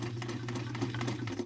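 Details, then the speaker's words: Kenmore model 1304 sewing machine after repair (thread removed from the motor pulley, cleaned, black oil replaced with clear oil, bent pin found, tensions reset), on straight stitch between 3 and 4: smooth, even, rapid stitching with no clatter or binding; runs like new. "I got it running really well. It sounds like a brand new machine. Got it on basic straight stitch right now. It sounds so much better."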